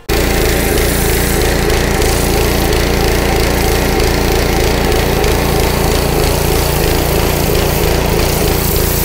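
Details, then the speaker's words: Honda GC160 5 hp pressure washer with filter and spark plug already replaced: the engine rises and falls unevenly, surging with weak pressure, and clears with a little choke; cause is partly clogged carburetor jets. "you'll see it's surging i put a little choke on it clears right up"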